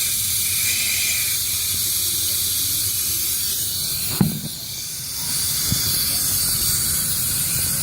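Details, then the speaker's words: Workshop air compressor after shutting off around 120 psi: steady high hiss with a few clanks as pressure immediately drops; owner suspects a faulty intake check valve. Cause not confirmed. "I think that's the air filter sounds different right yeah okay so it's immediately dropping pressure"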